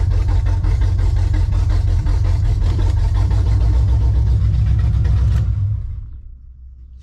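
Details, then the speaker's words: Monte Carlo engine idling: loud rough idle with uneven popping and sputtering under deep exhaust rumble; owner suspects too much or too little fuel, unclear. "oh yeah they getting way too much fuel or not enough fuel she's spitting and butter when I get in it"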